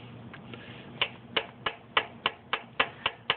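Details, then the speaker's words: Isuzu Rodeo 3.2 V6 revved to higher rpm: loud, constant metallic clanking about three to four times a second from the timing belt tensioner pulley. Its weak hydraulic tensioner adjuster piston lets the pulley move with two fingers. "the sound that makes set there's a lot higher revolution that's my tensioner pulley and that's my hydraulic tensioner adjuster a little piston in there that's supposed to put like 200 foot pounds of pressure on this pulley"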